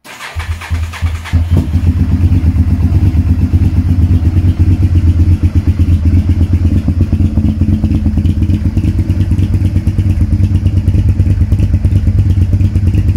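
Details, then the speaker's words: Honda VTR V-twin motorcycle with 41,000 miles, newly bought; starts after brief crank, settles into deep, even V-twin beat and picks up smoothly on revs; normal start-up and revving. "It's got 41,000 miles on the clock, which, okay, considering the age, it's not a lot, but it runs nice. So let me start it up then, see if it starts."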